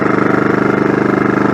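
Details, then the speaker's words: Champion inverter generator running after pull cord housing replacement and full disassembly/reassembly, started on choke with fuel cap vent on; steady even hum with fast regular pulse, quiet, no misses or surges — normal running. "Love how quiet these things are. It worked."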